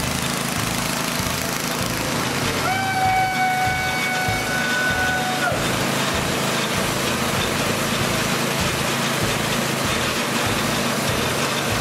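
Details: Old snowblower small single-cylinder engine, started on electric start with choke and fast throttle after cleaning corroded parts: fires and settles into a steady, fast, even chugging with no misses; runs fine.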